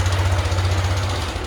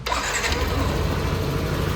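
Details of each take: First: Yamaha NMAX 160, 2017, 37,000 km, noise began climbing a hill: fast, heavy, loud metallic clatter at steady revs; worn camshaft bearing, mechanic suspects, engine had been condemned. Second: Yamaha NMAX 160, coolant additive added, warmed up well: even, steady idle with smooth low hum, no ticking or rattle; noise gone, normal idle.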